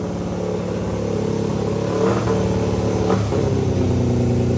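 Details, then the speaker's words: 500cc mini bike after a partial carburetor tune with new full stainless exhaust and high-flow muffler: revs climb then linger before easing down, not revving out fully, with a loose clatter underneath; rev hang, owner suspects it is still running lean. "we tuned the carburetor a bit it's not perfect yet it still has some rev hang I think and like it doesn't rev out quite all the way I don't know I got to figure it out I think it's still running a bit lean"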